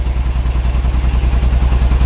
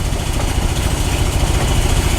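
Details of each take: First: Sounds like an old truck. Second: GMC truck, warm but running cool, after carburetor accelerator-pump work: loud, lumpy uneven idle thumping about 3.5 beats a second; exhaust leak ruled out, owner suspects distributor not advancing, won't rev under load; points, condenser, cap next.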